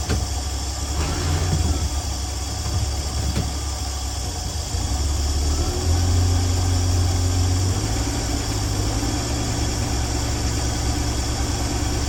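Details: 1965 Dream van engine at steady, even low idle rumble with constant beat, no misses or knocks, after wiring short repair (green wire touching power wire), horn relay replaced and dead battery; restarted with no leaks, running healthy.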